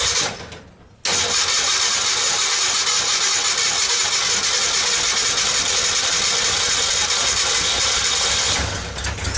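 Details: 1964 Ford Econoline van with a 170ci six and points ignition, previously crank-no-start. With the coil resistor bypassed and the coil fed a straight 12 volts, it catches after a second of cranking and settles into a steady, even run with a loud hiss, no knocks or misses.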